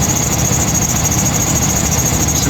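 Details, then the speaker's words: 2000 GMC K2500, Gen 6 Vortec 7.4L 454 big block at idle: a constant high squeal that doesn't change pitch, from a slipping serpentine belt. WD40 only quieted it temporarily and the cause is still unknown. "WD40 seems to Temporary to fix the belt problem so I'll figure out what's going on with that stuff"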